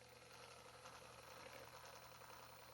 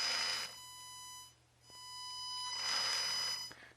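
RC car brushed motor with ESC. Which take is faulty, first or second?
second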